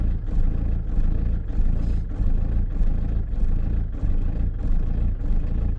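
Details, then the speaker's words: Diesel van just fitted with a new lift pump, fuel filter and fuel solenoid, still building fuel pressure: deep diesel clatter swelling and sagging about every half second; hunting idle, expected with the new pump, and it soon sounded healthier. "so she's jugging which is obviously she's going to do anyway"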